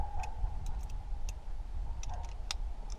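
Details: Chevrolet Impala passenger-side blend door actuator failing again after two years, a second actuator also failed; uneven light ticks every half second over low cabin rumble; blend door actuator clicking.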